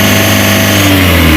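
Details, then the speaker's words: Mitsubishi L300 Euro 4 diesel at about 4,000 km, weak on climbs: revs briefly then flattens, lazy and held back, unwilling to rev past about 3000 rpm; blamed on a misadjusted clutch pedal. "suara Mesinnya tidak mau Meraung cuman seperti itu aja"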